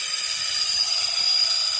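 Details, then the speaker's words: 1970s Bell & Howell 1225XL Super 8 sound camera, mildewed after shipping-container storage: piercing, steady high-pitched scream over a hissy whir from the small motor, no pitch change, motor squealing. "And listen to this when I try running the motor. It's a screamer. Ah! It's saying, put me out of my misery."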